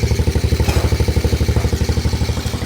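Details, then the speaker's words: Carbureted 2003 Honda TRX 90 ATV single-cylinder engine idling steadily with an even low putter, off choke, after valve adjustment restored compression and the carburetor fuel needle was changed to add fuel: normal idle. "You guys can hear it idles nice. We just changed that fuel needle in the carburetor, added some fuel."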